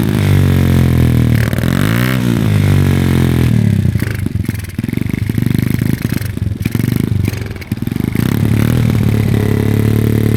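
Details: SSR110 (sold as a 125, possibly 107cc) pit bike single revving with sharp, uneven tapping rising with speed; exhaust valve found at least 1/8 inch out of lash; engine only idled with zero power, head discoloured versus cylinder; clutch crank gears replaced, mixture seems rich.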